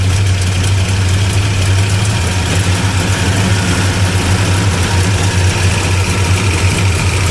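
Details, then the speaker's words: 1975 Plymouth Roadrunner V8, first running after sitting about 20 years, on battery, timing adjusted without a light: loud deep idle with lumpy pulsing beat, no knock; sounds lean, cause not confirmed. "That sound better? Sounds lean. Sounds lean."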